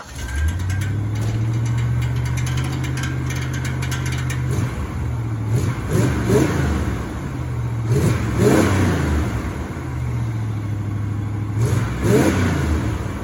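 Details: 1984 Chevrolet El Camino V8, first start in almost 4 years: catches and holds a fast, high idle with repeated surges in revs; high idle caused by disconnected vacuum lines.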